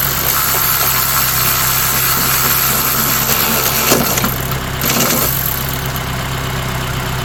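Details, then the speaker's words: Honda Element K24 on its first start-up, valve lash still to be adjusted, with what is thought to be a damaged resonator after the cat. Steady even idle, smooth low hum, no knocks or ticks; sounds good. "It's It sounds good. Let's go from a distance. Sounds good."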